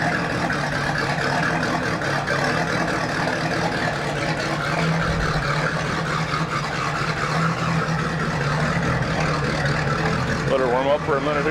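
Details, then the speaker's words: 2000 Volvo Penta 5.7 GS PEFS V8 inboard from a 2000 Glastron, 526.5 hours, 190 psi all cylinders, fresh oil and new plugs, warming up: smooth low rumble holds steady, no ticking, misses or hunting; runs good. "Runs good. Yeah, good engine. Good Minnesota motor."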